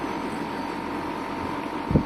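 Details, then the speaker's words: Samsung 9000 on/off home air conditioner (2009) after replacing burnt 40 µF capacitor with 45 µF: fan started, steady even hum and fan rush, no clicking; compressor running, pipes frosted, gas and compressor were fine. "Ecco la ventola si è messa in moto E infatti è ghiacciato ora"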